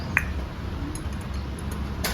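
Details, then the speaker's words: Bajaj Discover 150 engine that smokes heavily and loses oil within 15–20 days, head removed for a valve guide check. The intake valve gives a single crisp tick when pushed, meaning a sound guide. The exhaust valve guide is worn with excessive side play. "इसका exhaust वाला valve का guide ख़राब है और intake वाला का sound सुनिएगा।"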